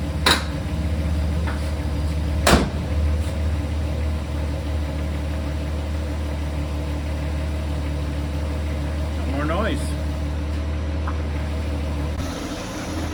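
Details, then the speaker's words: Mustang on blocks after replacing a torque converter that blew up and deleting the failed A/C compressor: motor fires right up to a steady, even idle with a smooth low rumble, no whine or knock from the transmission; the previous noise is gone. "this is sweet no more noise noise uh torque converter sounds great motor fires right back up super stoked"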